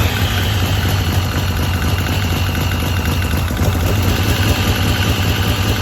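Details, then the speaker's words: Ford Cortina turbo build (Pinto engine), first start after new stainless exhaust fitted: even idle with a thin steady high whistle, air leaking at the inlet manifold/intake gasket. "the whistling you could hear um which well you clearly hear it um it was actually coming from the inlet manifo"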